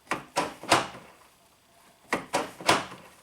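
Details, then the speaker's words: 1996 Geo Prizm (Toyota Corolla) power door locks, passenger side: two quick clunk bursts about a second and a half apart, locks snapping open then straight back shut; relocking fault, cause unknown. "does not stay unlocked it keeps pulling them down"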